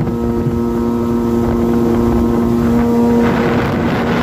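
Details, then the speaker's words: Two-stroke Yamaha WaveRunner running on water with a steady, even buzz, no surging, under wind noise; after replacing a faulty fuel cap that caused surging; a little cold on first startup. "she ain't as fast as an 1100 but this baby's running good like every two strokes a little cold on the first startup but uh i figured it out guys"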